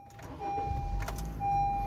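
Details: Honda Civic G9 flex-fuel engine on additive gasoline, after the accessory-belt tensioner that caused a constant tec-tec was replaced; quiet, smooth idle with A/C compressor running, no ticking or chirping from belt side.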